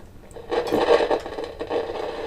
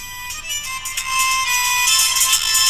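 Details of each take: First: Kaiser W1835 tabletop radiogram, heard via signal tracer: irregular scratchy crackling bursts over hiss; crackle in the audio path, resembling silver mica disease but owner doubts it, exact source not yet found. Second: Kaiser W1835 radiogram after rebuilding its electrostatic speaker with new diaphragm material: radio music plays clearly, bright and treble-heavy with thin bass, about 251 V DC across it; normal audio output.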